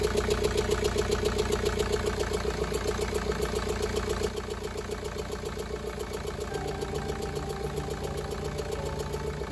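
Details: 2013 BMW 520d diesel, about 180,000 on the odometer, towed in with severe misfire and heavy blow-by smoke; idling with a strong, uneven lope of three to four beats a second; cylinder misfire, suspected broken piston.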